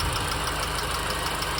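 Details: R53 MINI Cooper at steady idle: fast, light, even ticking, roughly six or seven a second, from the engine; source unknown.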